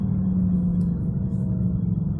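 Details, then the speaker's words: 1999 BMW 328i driving slowly, about 20 mph, rising with speed: low, steady growl with droning hum, like a card in bicycle spokes, from a bad rear wheel bearing. "it's got like a low growling noise kind of like when you put a baseball card in your bicycle spokes when you're kid so here we go you'll start to hear it it starts out kind of low and growling"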